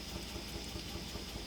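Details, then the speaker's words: 2008 Chevrolet Suburban V8 idling with a lumpy, uneven thump from a cylinder 4 misfire; check engine light flashing, truck shaking heavily and losing power. "como pueden ver ahí este está parpadeando la la luz del chip jenner y la troca está muy temblorosa tiembla mucho pierde potencia"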